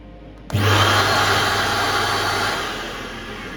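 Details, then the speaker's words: Portable electric carpet cleaning machine, first run after replacing the vacuum motors: the second vacuum motor kicks in with a sudden rush of airflow, a steady high whir with no wavering; both motors running normally. "Yeah. That's definitely working. That's the first time this has ever been switched on in this house."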